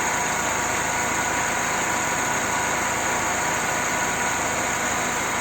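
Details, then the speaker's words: Mercedes M111 petrol engine idling after the alternator belt damper was repaired (welded, both upper and lower rubbers replaced): smooth even idle, with no rattle or knock from the belt drive. "я все резинки обе поменял верхнюю и нижнюю то мотор работает прекрасно"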